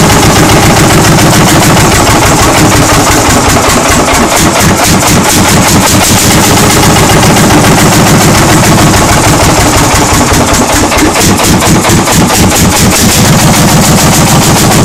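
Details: 1940 Lanz Bulldog single-cylinder hot-bulb tractor engine, first start after 40 years, recorded on a phone: loud, sharp popping at a steady, unbroken beat with no misses or knocks.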